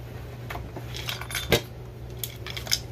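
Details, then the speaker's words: Briggs & Stratton single-cylinder vertical engine tipped by hand: irregular metallic clinks and jangles from loose pieces inside the case after a connecting rod bolt snapped and fell out the oil drain port; engine judged done for. "oh yeah you can hear all the chunkies all the good junkies there's another good junkie there yep before i crack this open i'm going to go and make a prediction which is the reason why it is the moment you hear that sound it is screwed"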